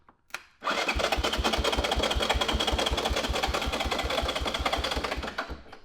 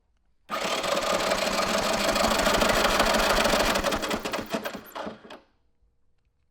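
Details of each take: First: 1983 Honda ATC 200E 200cc three-wheeler, non-running purchase, new battery fitted, no fuel yet: electric starter whirs with even compression pulses about four a second; engine turns over freely but never fires. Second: 1983 Honda ATC 200E 200cc three-wheeler, new battery: fast even starter cranking for about five seconds that never catches; no spark at plug or plug wire, CDI or coil suspected, traced to bad ground.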